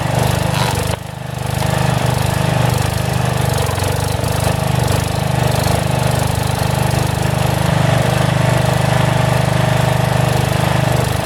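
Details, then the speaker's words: Single-cylinder 12HP engine, swapped in for the original 10HP, on a roughly 35-year-old log splitter: a steady thump with slight speed swells as the governor hunts at governed speed; owner suspects the carburetor needs adjustment, cause unconfirmed. "the only problem right now that the governor hunts a little bit on the engine I don't know if 30 carburetor maybe it needs an adjustment but it runs pretty well so I'll fire it up for you"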